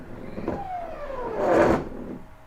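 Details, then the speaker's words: CNC stepper motor on a Mach3 USB controller (RnR Motion) in a reverse-direction jog test: the whine slides down, then a sudden loud thump at stop as the feed rate jumps and jerks the motor. Owner plans to check whether this also happens elsewhere. "looking at the feed rate so do you see it jump okay yeah so if you see this and I and I and if this doesn't happen on the drle I'm I'm I want to test that and see it"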